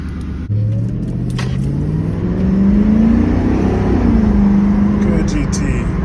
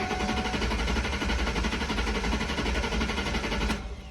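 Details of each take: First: Mustang GT with crank no-start and no fuel pump priming, after replacing the fuel pump and the filler neck grommet: the engine catches, revs up smoothly and settles to an even run. Fuel delivery is restored and it runs normally. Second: Ford Mustang GT crank no start: steady starter churning with no catch and no fuel pump prime hum heard beforehand; suspected failed fuel pump, fixed by replacing the pump.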